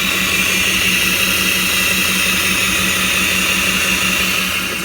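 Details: Mercedes Sprinter with P299 turbo underboost code, turbo actuator from a different turbo plugged in: loud constant high whine over low steady hum, starting immediately on start-up and never changing pitch; cause suspected, not confirmed.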